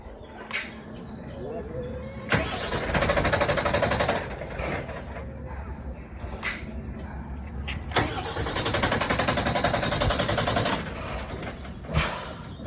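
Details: Bin lorry diesel: two long bursts of starter cranking, each about two seconds, and the engine never catches. Cranks but won't start.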